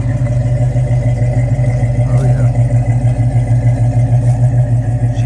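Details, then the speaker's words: 1970 Dodge Challenger R/T V8 on air ride, first time out of the garage in several months, steam from exhaust; deep loping idle about three beats a second with no knocks; sounds good, healthy idle. "Oh, she sounds good."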